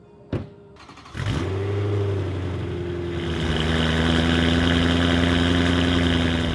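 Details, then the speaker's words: BMW E90 M3 V8 with resonator delete, cold start the next day: starter catches, revs flare briefly, then settle from high idle into a steady, even rumble at normal idle RPM; normal idle after cold start. "died down from high idle, and that is how it sounds idling at a normal RPM."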